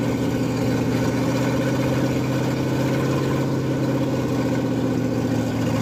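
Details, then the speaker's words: Ford F100 302 with a Comp 268H cam during cam break-in, warm day, holding temperature: a deep, steady, lumpy V8 beat at an even raised idle with no ticking or knocking; normal fast idle. "Change it, and hopefully it's good, but it sounds fucking fantastic."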